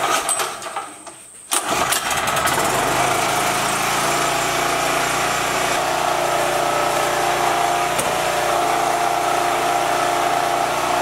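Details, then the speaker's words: Generator that sat a couple of years, mouse-chewed wiring traced and reconnected: after a cranking burst the small engine catches and settles into a steady, even buzzing run with no misses, producing power again; normal running. "i have power i can't even begin to tell you how good that feels"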